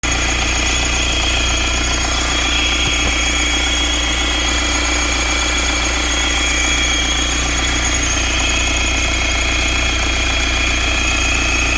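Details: BMW 520d N47 diesel at idle: steady rough clatter with a constant high whine over it. Owner suspects the water pump or crankshaft pulley, unconfirmed. Unidentified engine noise.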